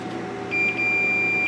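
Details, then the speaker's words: 25-inch K7000 arcade monitor chassis, multimeter continuity check on the four-post C36 capacitor footprint: steady beep about a second long across legs that are always joined on each side; normal continuity reading. "these two legs should always read together the two on this side the two on that side are always going to be shorted"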